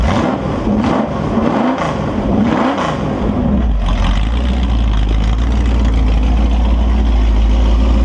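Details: Holden 355 stroker V8 on a bench test stand, new engine for an HQ Holden (flat-top pistons, Sig Erson TQ30 cam, HEI, Edelbrock carb, Aeroflow single-plane manifold, 9.5:1 compression), bedding in cam and lifters: a few blips, then a deep steady idle with 30 psi oil pressure. No leaks; healthy.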